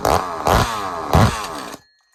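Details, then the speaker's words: Ported chainsaw on first fire after rebuild: fires in three rough bursts about half a second apart, then stops dead; a connecting rod bolt broke and jammed at the crankshaft, nothing got past the piston. "So it just happened to be one of the connecting rod bolts broke, and it just got jammed up in there at the crankshaft, and you know, nothing got up past the piston up into that area, so we got lucky."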